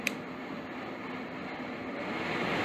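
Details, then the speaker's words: Home furnace blower on continuous fan after rewiring, no heat: soft, even airy hum climbing steadily as the blower ramps up, no surging or cutting out; blower works, normal run. "well that's a good sign blower actually works I can hear it like Revan"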